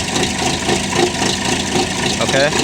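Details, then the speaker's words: Chevy Malibu (possibly 2006), cold snowy day, after earlier crank no-start with P0016/P0017 codes: uneven, stumbling idle with lumpy, wavering beat, worse outside by the engine. "first thing i notice is this thing does not sound happy it sounds even worse when you're outside by the engine this does not sound right to me"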